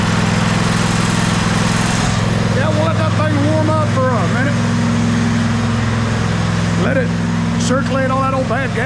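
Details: Husqvarna YTA24V48 lawn tractor, 24 HP Briggs & Stratton V-twin, after sitting all winter with old gas, running after refueling and gas circulating through: even low drone at steady speed with no misses, stumbles or surging while warming up.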